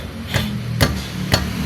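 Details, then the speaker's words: 2005 Toyota Vios/Limo Gen 1, front left wheel clunks over rough roads; striking the tyre gives three sharp metallic knocks like metal hitting metal, from a loose, worn brake caliper piston housing. "ini kan ada suara-suara yang aneh ya. Kayak besi beradu gitu. Ini biasanya tanda-tanda dari rumah piston kalipernya udah kalah ya. Udah oblak."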